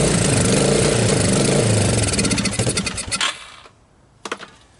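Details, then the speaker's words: 1985 Suzuki Quadrunner LT230 shaft-drive ATV, barn find, first cold start: single cylinder chugs evenly, then slows, stumbles and dies, a brief refire dies too; won't stay running, owner suspects a gummed-up carburetor not pulling fuel. "Well, I guess not. To me, it sounds like I got like a gummed up carburetor in here, right? I'm not pulling gas properly."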